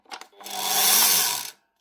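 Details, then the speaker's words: Makita SP6000 corded plunge saw, 2015, about 10 years old: two clicks, then a short rough high-pitched motor burst with sparking and clicking while spinning; burnt armature with a blown commutator segment, field hopefully okay; armature to be replaced. "You can hear there's a segment blown out of it. So the motor's gone, more specifically the armature, but the field is hopefully still okay."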